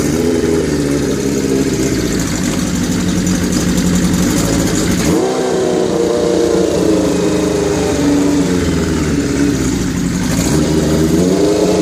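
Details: 1981 Kawasaki GPz550 four-cylinder after frame-off restoration and engine teardown, not run since 1994: steady hum at raised idle (idle screw turned up) with a couple of gentle blips, settling back smooth; healthy, owner thinks carbs may need syncing.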